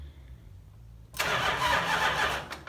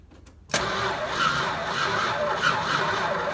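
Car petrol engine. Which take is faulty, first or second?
second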